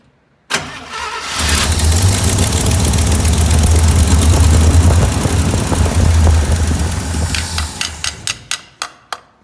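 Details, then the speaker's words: 1967 International Harvester Loadstar 1600 truck after a new fuel pump and carburetor tuning: cranks, catches and runs roughly a few seconds, then sputters and dies; it won't hold an idle, with a dirty carburetor suspected but the bowl clean. "she just runs and idles for a second so I don't know if we have dir carburetor dirty carburetor"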